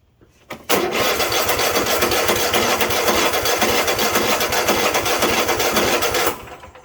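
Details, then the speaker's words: Craftsman T8200 Pro riding mower with 24 hp Kohler Elite KT735-3068 twin, 2016, 46 hours, not run in a while; starter cranks steadily about five seconds, never catches; crank no start, fuel starvation, carburetor issue. "So obviously it turns over here, but it just will not start."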